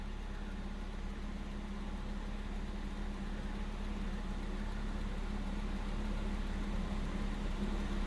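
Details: Volvo 740 with wet spark plugs idles roughly after a cold start: low, steady idle with an uneven pulse of about three beats a second. In real cold it stalls outright but restarts and runs normally.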